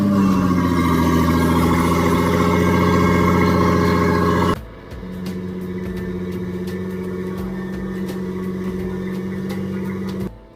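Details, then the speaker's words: Turbocharged Nissan GQ Patrol on an eBay kit with wastegate and screamer pipe, first run; a brief rev, then a steady even idle with a clean constant hum, no misfire or rattle; not yet reaching positive boost. "Alright, so she's sounding, she's making all the right noises. It's way more responsive than she used to be."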